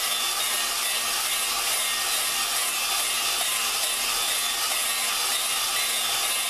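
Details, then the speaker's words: Lapping a valve into its seat with a drill and grinding compound on a 4.7 Dodge cylinder head. An even, gritty, high hiss with no rhythm or change; the compound is grinding the valve against its seat normally. "So, as you're doing it, you can hear the the uh when you first start, you can hear all the grain granular portions of the the gr the compound. You can hear that doing its job."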